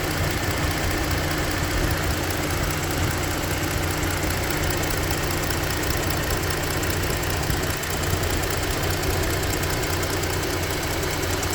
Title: What is the ticking sound and what is the sound heard at 0:20?